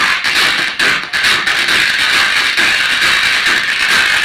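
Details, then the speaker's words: 6283 IC based small amplifier (800 model), previously damaged by another mechanic, volume at 50: thin, harsh, crackling music with almost no bass, rasping throughout. Speaker suspected. "Quality देखो बहुत ज़्यादा ख़राब है, sound quality बहुत ही ज़्यादा फट रहा है। हो सकता है स्पीकर का प्रॉब्लम है, स्पीकर को एक बार चेंज करके देख लीजिए।"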